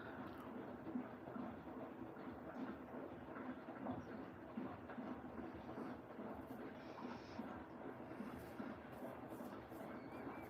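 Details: New Siemens 10 kg washing machine, 70° drum clean while heating: soft slow rumbling and swishing as the drum turns, no scraping or knocking, the quiet heater barely audible; normal tumbling.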